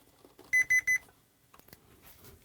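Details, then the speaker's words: Gibson G101 combo organ, tracing a fault in a wiring loom: continuity tester on a snipped lead gives three quick sharp beeps, showing that wire shorted to chassis. "are you beeping hitting the chassis it's that one there which is like a darker green is that it"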